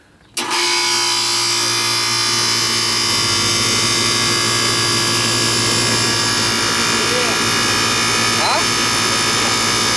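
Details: Old Ganitrol AC outdoor condenser that would not start, with indoor unit running and icing reported; when switched on it kicks on abruptly and settles into a steady, even hum with fan rush and a constant high tone, running normally.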